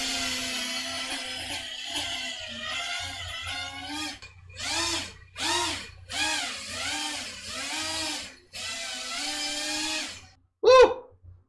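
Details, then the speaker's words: FPV quad in flight after RPM filtering tune: motor whine rises and falls smoothly with throttle, clean pitch, no rattles; motors a little warm but not hot, sounding healthy. "sounds nice Motors are a little warm but not hot I think we're pushing the tune to the finest of its abilities"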